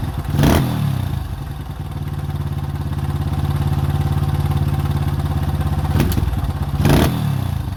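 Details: 2005 Honda CRF150F, California street-legal, after a valve adjustment and carburetor tune-up, having previously not started and idled too high: single-cylinder thump holds a steady idle, blipped twice and settling back cleanly; it runs properly.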